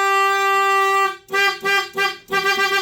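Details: 1991 Dodge Caravan 3.0 with 3-speed automatic, abandoned 19+ years: a loud reedy horn blares, drops out, then stutters in short bursts before holding steady while connectors and cables are wiggled. It is intermittent, possibly from poor connections or low voltage (unconfirmed).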